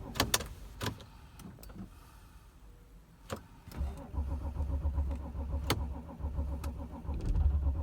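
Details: 2006 Audi A6 4F 2.7 TDI quattro diesel, cold: a few clicks, then steady even cranking about four turns a second, engine never catches; crank, no start when cold.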